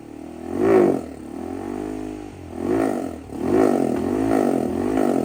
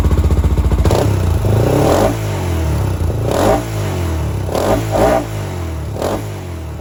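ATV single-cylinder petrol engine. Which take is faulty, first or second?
first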